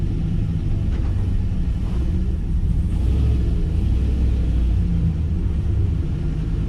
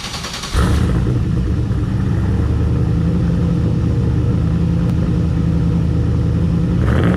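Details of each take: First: Turbocharged LS-swapped 600 HP Chevy C10 with a newly installed muffler: deep, even, muffled V8 rumble with no rasp or leak. Normal exhaust note, definitely quieter than before. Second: Deep, loud V8 rumble and steady heavy drone at idle from the tailpipe of a 600 hp turbo LS-parts truck, back from the tuner. This is before the new muffler install, with only a small straight-through muffler fitted. Exhaust is excessively loud.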